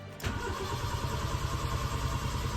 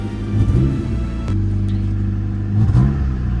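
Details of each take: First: Honda Civic project car, first start attempt after sitting. Coolant gauge reads half, sensor suspected broken. Starter cranks steadily and evenly at good speed with no clicking or dragging: normal starter cranking. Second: Honda Civic that sat since last May after a ball joint broke; engine starts, then runs with an uneven, lumpy rumble and wavering speed; owner suspects bad petrol, cause not confirmed; a temperature sensor is suspected faulty and a transmission problem is also noted.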